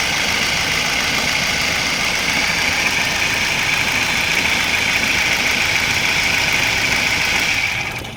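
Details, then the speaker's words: Car engine at idle, fan-belt area: loud, steady, high-pitched whirring rasp over the idle that sounds like an internal engine fault, but it comes from the worn bearing of the fan-belt tensioner/adjuster beside the engine, not from inside the engine. "पर engine के अंदर से कोई आवाज नहीं आ रही जो आवाज है वो साइड में हमारा एडजस्ट लगा रहता है जो हमारी बेल्ट चलती है फैन बेल्ट उसको एडजस्ट करता है उसके बेरिंग की ये आवाज है"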